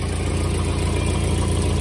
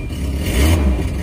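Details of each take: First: Volvo 240 at idle, about 24 hours after exhaust cracks were sealed with heat-cured sealant: even, steady low rumble with only a faint tick left underneath. The exhaust leak is largely sealed, not perfect but much better. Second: Volvo 240, warmed up: a short rev from idle gives a loud, raspy, puffing exhaust note that's far too open; cracked, holed exhaust pipe leaking, to be patched with high-temperature metal repair compound.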